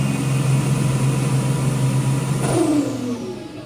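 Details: Toyota Prado 5VZ turbo (Haltech), rebuilt overnight after two bent conrods caused a bottom-end noise: holds a steady, even rev, then winds down smoothly with no bottom-end knocking. Healthy.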